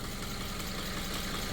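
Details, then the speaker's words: Subaru FB engine, after a no-oil-pressure fault: metal debris from the chewed-up timing chain had clogged the oil pickup, cleared and pan refitted; steady, even idle with constant low hum and no ticking or knock after an hour running. "so this thing's now been like I said for an hour just running purring I've been revving it there's no rod knock"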